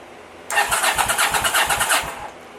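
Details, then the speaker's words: 1983 Honda VT750 motorcycle, first start-up after top end rebuild and modifications: fast, even starter winding for about 1.5 seconds, no firing yet, engine spins strongly; normal starter cranking. "here's a button hear that winding that's good"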